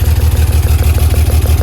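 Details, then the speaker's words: BMW E36 whose ECU has repeatedly fried, idling with fuel smell and smoke: deep idle with a steady, regular stumble about six times a second. Cylinder 5 is misfiring; rear injectors were found unplugged. "I checked through all the coil packs just to find the misfiring cylinder, and cylinder number 5 is having a firing issue."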